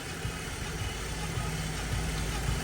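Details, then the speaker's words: Drift car at Driftland while bleeding cooling system after refilling about 4.5–5 litres of water: steady low rumble, no misses or knocks, outdoor noise; normal idle. "now just giving it a quick bleed it sounds healthy though"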